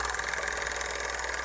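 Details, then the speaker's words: CTI Cryogenics cryoengine assembly (split Stirling-cycle cryocooler compressor), unfilled with helium, bench-run as voltage is raised (about 18); steady buzzy hum with fine rapid ticking, sound carried through the table; runs rough, shakes more and clicks, cause not found. "it's also shaking a lot more now and if you notice that sound most of the sound has been conducted through the [Applause] table so it sounds like there some sort of like a clicking going on in this [Applause] thing"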